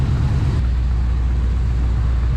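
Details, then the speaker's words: Chevy G10 van V8 being readied for a hot rod show, started after a jump-start: deep, steady low rumble settling into smooth, even idle with no knocks or misses; oil pressure looks good. "the oil pressure looks good everything looks good"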